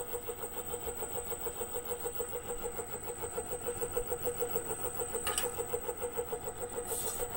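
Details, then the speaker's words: Reeder 2x72 belt grinder, 2 hp Hallmark three-phase AC motor on a KBAC-27D VFD at 40%, belt removed: a steady hum, high whine and even throb. Owner suspects the vibration is inside the motor, possibly cooling-fan imbalance or the VFD. Motor vibration. "I don't know if you could hear that it almost sounds to me like it's coming from inside the motor"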